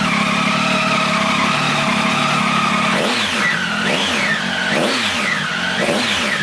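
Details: 2015 Triumph Tiger 800 XCX with newly fitted Fuel Exhausts slip-on pipe: steady clean idle, then several quick blips rising and falling smoothly, crisp exhaust, no rattles; normal healthy running.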